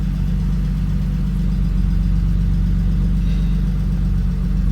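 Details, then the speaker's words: 1992 BMW E36 325i petrol inline-six, manual, first start after 2–3 years in storage following a fuel pump replacement: steady, even idle hum with no misses, knocks or ticks; normal idle. "It actually sounds okay. Hooray! That's great news."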